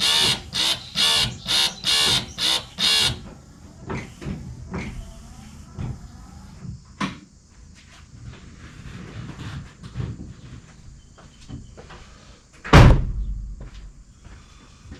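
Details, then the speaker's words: 1966 Ford Mustang washer pump after 12 years off the road: buzzing pump switches on and off about twice a second instead of running steadily, pulsing with the wiper action; less than 12 volts at the pump, wiper motor contact and pump intermittent; owner suspects pulsing circuit voltage. "So, it's actually not intermittent. It sounds like it's pulsing. I bet if we look at the voltage on the circuit, it's pulsing. It seems to be pulsing with the action of the windshield wipers."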